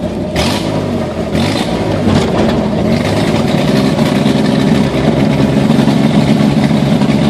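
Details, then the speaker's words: Car with bigger injectors (5 lb/hr more fuel), still untuned; loud revving pull under hard acceleration with rough uneven drone over the engine, sounds off, source unconfirmed. "That doesn't sound good."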